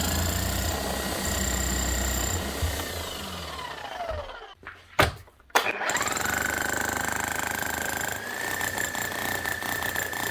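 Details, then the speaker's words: Bosch GSH11E demolition hammer, about 25 years old: after a few seconds of shaking, likely from old, overly sticky grease on the striker, it stops wobbling and runs smoothly with steady, even hammering and a constant motor whine; normal running. "after a few seconds you see it stops shaking back and forth and you can hear the hammer starting to run smooth again"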